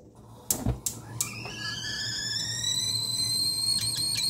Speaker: There's something wrong with my kettle. Let's have a listen.